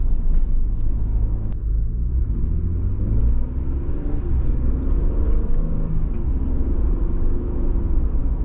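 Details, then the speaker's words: 2022 Ford Bronco Big Bend two-door with hardtop, driving over rough, bumpy roads after greasing the top; only low steady tyre and road rumble, none of the former creaks and rattles from the roof. Quiet hardtop, no creaks. "Roads are horrible little bumps that before that grease there was a million sounds coming from this top that was driving me absolutely crazy, and they're gone."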